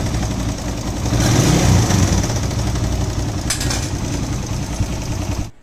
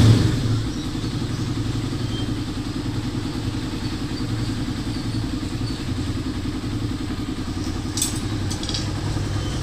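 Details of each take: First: Motorcycle idling with loose, uneven clatter; engine reported noisy, mechanic says timing chain needs replacing and valve clearances checked for looseness; valve clatter and timing chain rattle. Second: Motorcycle engine running evenly with a steady low beat and no knocking or ticking after a noisy-engine repair: new timing chain and guide, shim, tensioner reset.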